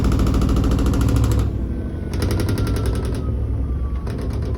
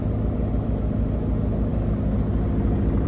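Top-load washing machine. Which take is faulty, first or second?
first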